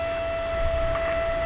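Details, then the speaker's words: Small computer-type circulation fan for a mushroom fruiting chamber, wired to an AC plug adapter and just plugged in: a steady, even mid-pitched whir at full speed with no rattles or wobble, running normally. "So let's take a look now I'm going to plug this in to my power board over here. (fan whirring)"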